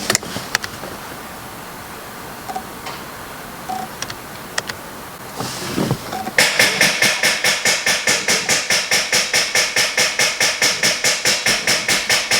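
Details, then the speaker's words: 2016-2021 Camaro SS after oil pressure sensor replacement, attempted start: fast, even clicking at about two per second that never turns the engine over; dead battery, though oil pressure gauge rises. "might have a dead battery but oil pressure is rising yeah we we do have a dead battery"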